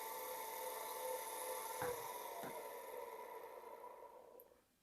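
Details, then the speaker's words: Water pump motor hums (dengung) but won't start by itself; it runs only when spun by hand, and the fault is concluded to lie between the capacitor and the winding. "Jadi permasalahan pompa air ini adalah dengung. Apabila dibantu dengan tangan itu dia bisa berputar."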